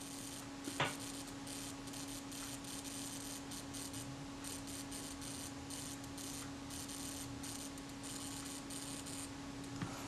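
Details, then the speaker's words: Kodak Retina IIIc Synchro-Compur shutter self-timer (delay action) run down by hand before cleaning: faint, uneven ticking that stalls and restarts, very hesitant; sticky escapement needing naphtha cleaning. "If I pull back this little lever here, that's what the internal cocking ring would act on. You can hear that running down. It's very hesitant."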